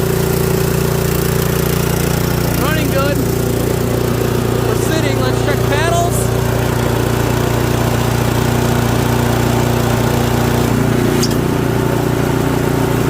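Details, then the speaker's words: Toro 721R single-stage snowblower, a small single-cylinder engine sitting unused for a few years and refuelled with fresh fuel plus stabilizer: smooth, even, steady drone with no misses or knocks, running quietly; normal running. "Good. Quiet. Sounds good. All right. Well, I think we're ready."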